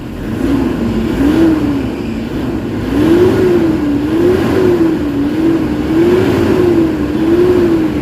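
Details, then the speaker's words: Toyota Hilux D4D diesel with low power, throttle delay and turbo actuator issue, after XADO engine treatment; repeated blips climb and fall quickly and evenly, strong from about 1,400 rpm versus 3,500 before: normal revving. "Lumilindol na yung makina guys. Kanina 3,500 magagalit na yung makina, pero ngayon ayun yung galit niya, marinig mo talaga, ibang iba na kaysa kanina."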